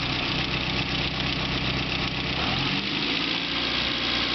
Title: E30 M3 S14 ticking noise_a